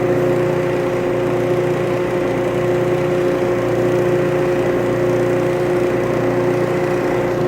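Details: Early cast-iron Craftsman 12-inch disc sander made by Dunlop, bronze bushings, first run before cord replacement: even, steady hum with no knocks, grinding or speed change; motor and bearings run normally.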